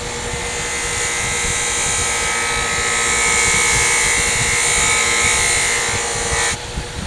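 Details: Loose cotton buffing wheel charged with green compound: steady whine shifting slightly in pitch as the carving blade touches the wheel edge; normal running under load.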